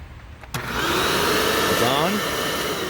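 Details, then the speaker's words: Hoover WindTunnel Plus self-propelled upright vacuum, about 2008, power switch that felt mushy freed with penetrant: sharp switch click, motor spins up to a steady even whine and holds on repeated on/off; switch fixed. "and there's off on off on off on off on off yep I think we fixed it good old penetrant"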